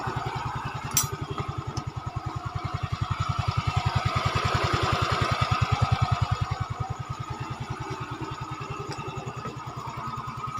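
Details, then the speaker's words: Yamaha Fino 125cc fuel-injected scooter after camshaft repair, old cylinder kept, no oil burning, piston and con rod fine: steady, even idle about three and a half beats a second, no knocking or rattle. Now smooth. "Oke, suaranya udah mulus. Jadi yang kemarin masalah kasar jangan main ponis tang seher maupun yang lain, yang pasti pada intinya oli keadaan normal atau enggak makan oli, dan mesin bawah buat stang sehernya masih aman."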